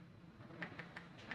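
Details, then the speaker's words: Riton Tactix x3 1-8 LPVO illumination dial, 11 settings, turning: four sharp light clicks about a fifth of a second apart; strange free play lets the dial knock between settings. "bit of a knocking between each of the settings on this now it does turn on an office like it's supposed to do"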